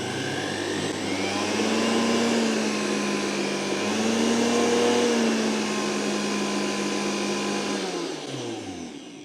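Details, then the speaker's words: Milex Nutri1000 1000W blender (MNM001) after repair of smoking and grinding: the motor whirs at a steady high pitch and winds down smoothly with no grinding, the blade now spinning clear of the plastic platform. "I spin this sounds good there's no grinding"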